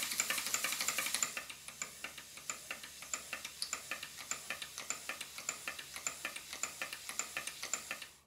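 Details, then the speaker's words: Stuart Models large steam plant, Southworth duplex pump during valve timing: quick clicking stroke beat near 100 a minute, slightly uneven; valve blocks only roughly set by eye, still need measured adjustment. "seems to be a little bit better I've only roughly adjusted the positions of these two blocks so I think now it's time to do it properly and measure the distance at each end rather than just doing it by eye"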